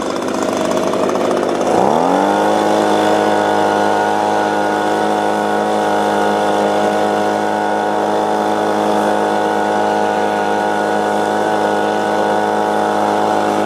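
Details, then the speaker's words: Echo leaf blower two-stroke, missing air filter back plate, catches after a short pull on choke and settles into a steady, even buzzing run with constant pitch and no sputter; normal running. "all right so we got uh the echo going"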